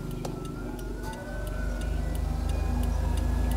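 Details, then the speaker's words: Suzuki Splash 2013 automatic facelift, AC blower at fan speed 1: steady light tick, about three or four a second, over the low fan rush. Weak blower suspected. "Kemudian untuk AC jadi AC ini ketika kita Nyalakan pertama di kecepatan satu itu ada suara ngelitik"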